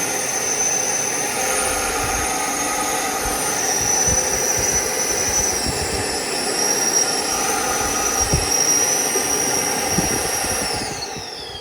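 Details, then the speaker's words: Gas furnace inducer motor running, checked for blockage: high, steady motor whine with airy rush, holding speed evenly then winding down smoothly; strong suction, motor healthy. "thing is super strong oh wow it's definitely creating enough suction wow they sound a whole lot louder"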